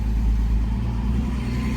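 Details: 1971 Mercedes-Benz 280SL on a road drive after a coil replacement and warm-up tuning of the ignition distributor; engine pulls smoothly and evenly under steady road noise, no misses or stumbles; best it has ever run, normal running.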